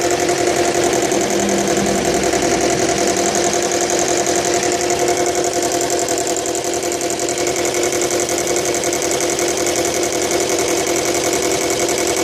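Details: Subaru Legacy BL5 engine idling with a constant busy metallic rattle over the steady run; cause not identified.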